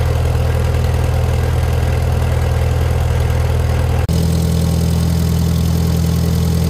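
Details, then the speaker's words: Farmall Super M-TA antique gas tractor after improvements, including an alternator conversion and new wiring and fuse holder, started without cheater aids using a little choke, then throttled up. It gives a deep, steady, thumping idle with no misses or knocks and sounds healthy. "Running. I also added this on here, just a little finishing touch. Sounds good, thunderous."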